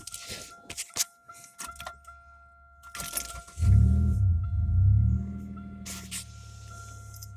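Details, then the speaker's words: 2001 Oldsmobile Intrigue 3.5 restart after replacing a fuse: over a steady cabin chime the starter catches quickly, engine flares briefly then settles into a smooth, even idle; starts normally. "fire it up one more time make sure it still starts good"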